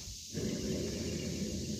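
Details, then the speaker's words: 1987 Jeep Comanche idler pulley, removed with its bracket and spun by hand, gives a dry, gritty rumble instead of a smooth spin; the bearing is probably shot, causing the crunchy engine-bay noise, though this is not confirmed. "That bearing is probably shot, and that's why that motor sounds so crunchy."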